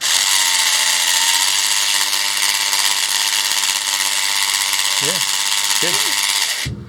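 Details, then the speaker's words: Scale-model giant robot gearbox driven by a 12 V motor salvaged from an old bilge pump, run at 12 V: shrill high buzzing whir with a gritty edge from rough printed gear teeth meshing; rough bits expected to wear smoother. "Yeah, the gears are a little bit rough. That's why it's making that noise. But any rough bits should wear off. and then they'll get smoother."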